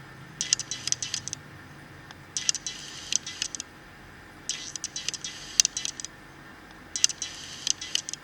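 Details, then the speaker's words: Nikon D5500 with a 35 mm lens, recorded by the camera's internal mic: four short clusters of high scratchy whirring as focus shifts; noisy autofocus motor. "hai hai Hai nampak bawa motor bungkusnya cukup berisik dan terdengar sampai di microphone internal dari kamera"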